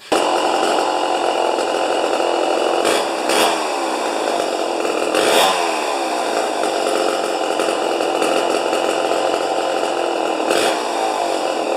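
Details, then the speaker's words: 50-year-old 100cc Homelite XP 1020 two-stroke chainsaw, no decompression release, first run: fast buzzy idle around 2500 rpm with short blips, max about 10,500, which seems high for its age; clutch likely engaging too soon; high idle speed. "I think the idle is at about 2500 and the uh maximum is 10,500 which I think is a little high this old of a machine especially"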